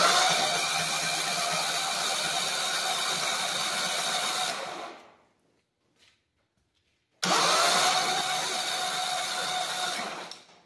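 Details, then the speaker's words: Walk-behind brush cutter engine after being sunk in a pond, oil changed and water drained, spark plug out: two bursts of quick, even whirring while cranking, no knocks or binding; turns freely. "moment of truth sounded good turning it over so I don't think we bent anything when it sucked"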